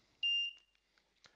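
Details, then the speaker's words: Arduino water leak detector for HomeSeer, shower leak rope unplugged so reading goes over 110: single sharp high-pitched beep of about a third of a second as device enters fault-mode audible alarm. "this leak rope the shower one will go to fault mode you can hear the actual device going straight into the audible alarm"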